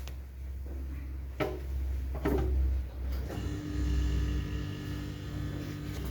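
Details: Gafa HGF367AW 334L fridge-freezer just plugged back in after replacing a faulty thermostat that had stopped it turning on: steady low compressor hum, even quiet drone, no knocks or rattles; compressor now running normally.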